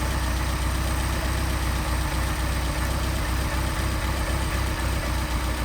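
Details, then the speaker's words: Mercedes 190SL Solex carburetors after sitting a long time full of sludge, throttle butterfly not seating, idle stuck around seven; steady low idle with slightly uneven beat as idle mixture screw is turned in: too lean. "Even if we even though we idle, we adjusted the idle mixture screw, still at seven. And all we're doing is leaning it out."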